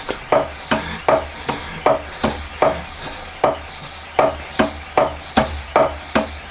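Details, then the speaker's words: Homemade honing tool for a Honda Monkey 4-cylinder engine conversion, run on a milling machine with the joint removed: regular strokes around seventy-five per minute, clean scrubbing with no chatter; smooth honing. "今度はいい音ですね。特にビビりもなくスムーズにいってます。主に聞こえてくるのは砥石の処理音だけでいい感じですね、これは。"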